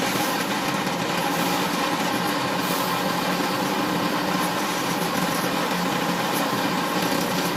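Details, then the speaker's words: Drain cleaning machine sending cable into a restaurant kitchen floor waste drain with 20–30 years of grease build-up: a steady rough grinding hiss with a strained, even drone. The cutter is chewing through big chunks of packed grease. "As you can see, we're going to send as many cables as it takes to get through this blockage, but you see from the resistance there, that's really hitting against grease, you know, big chunks of grease."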